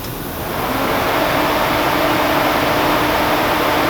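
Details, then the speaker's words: Mishimoto aftermarket electric fan replacing the clutch fan on a 2003 BMW E46 M3 track car, switched on by toggle: spins up within half a second to a loud, steady whoosh. Louder than a factory electric fan but moves more air. "It is quite a bit louder than a factory electric fan, but it's moving a lot more air."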